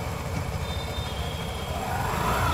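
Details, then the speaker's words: TVS Jupiter BS6 scooter, light throttle: smooth rising engine note with even clutch take-up, no judder; clutch engages cleanly. "ये देखिए दोस्तों clutch हमारा कुछ इस तरह से काम करता है हल्की सी रेस"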